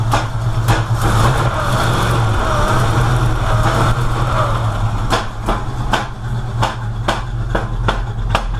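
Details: Rich-running, smoking V8 with a rough rumble and gunshot-like exhaust pops from the tailpipes, about two a second at times; timing suspected to be 180 degrees off, not confirmed.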